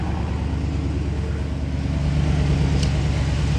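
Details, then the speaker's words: Dodge Charger SRT V8 with added catch can, idling after ABS module replacement (C2200) before calibration: deep, steady burble, even unbroken beat, no knocks or ticks; normal healthy idle. "All right, hold on. Whoa. I hear that? Sounds good. Oh, it sounds so lovely."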